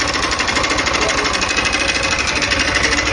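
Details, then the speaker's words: 160 motorcycle at idle, runs fine but loud: steady fast metallic tapping about three per second; teardown found damaged piston and skirt with rings stuck to the piston. "olha só o barulho que se encontra galera esse motor um barulho imenso a moto funciona perfeitamente porém o barulho rapaziada está muito forte no motor dela"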